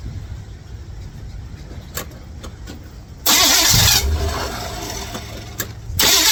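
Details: 1955 Chevrolet Bel Air, carbureted, started via bypass ignition switch wired to battery positive: quiet clicks then steady cranking that never fires; switch found good, engine not getting gas; crank no start from fuel starvation.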